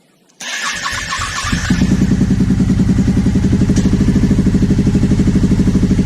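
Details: 2009 Aprilia Shiver SL750 twin, after replacing both air pressure sensors in the airbox to cure idle jumping up and down: starts first crank, steady even idle with no hunting; evap and tank air hose ruled out.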